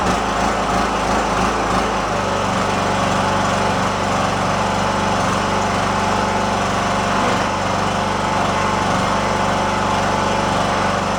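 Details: Free riding lawn tractor, previously said to shut off with a backfire after about 15 minutes at temperature. Just after start-up it gives a steady, even small-engine drone with a fast regular beat and no misses, pops or surging. It runs smoothly.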